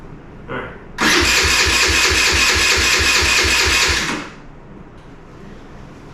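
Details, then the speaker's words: 2017 Kawasaki KFX50 kids' ATV, stored several years: about three seconds of even cranking, then silence; runs only on prime, carburetor possibly out of adjustment, safety/kill switch bypassed. Cranks but won't start, fuel cause suspected. "all right it seems to still only be running on prime or the carburetor is out of adjustment to the point that it won't run"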